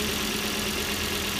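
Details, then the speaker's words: 2002 Volvo S60 petrol engine idling after replacing the PCV oil separator, whose failure caused a vacuum-leak whistle: smooth even hum, no whistle or hiss. "Alright, the oil separator's been installed, everything's together. Runs good."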